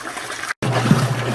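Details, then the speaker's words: Even sloshing with no squeak during agitation of a Frigidaire GLWS1749AS5 top-load washer after the squeaking upper transmission bearing was oiled, greased and sealed; quiet, normal agitation after repair. "it's not squeaking notice the difference in sound see how quiet it is now"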